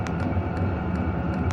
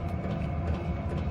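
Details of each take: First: Hcalory 5–8 kW 12 V diesel air heater turned down to a low setting: soft steady fan hum slowing and quieter, faint regular fuel-pump tick about twice a second; running smoothly. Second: Hcalory 5–8 kW 12V diesel air heater running and putting out heat: quick, light fuel pump ticks over a low rumble, amplified by the wire cart the pump rests on; isolating the pump would quiet it.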